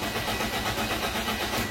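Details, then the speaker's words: Toyota Vios Limo Gen 2 with the pink fuel pump wire cut while installing a GPS tracker: steady rhythmic starter cranking that never catches; no start as no fuel is delivered. "Oke, tidak menyala. Oke, sip. Ketemu. Dan ternyata untuk di mobil Vios Limo Gen 2 untuk kabel full pumpnya dia warna pink."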